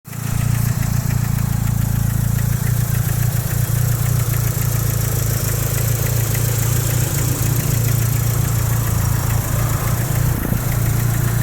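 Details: Mitsubishi Evo 3 4G63 turbo four-cylinder idling with a steady knock about three or four a second; owner first wondered piston slap or rod knock, found piston no. 4 cracked and slightly melted.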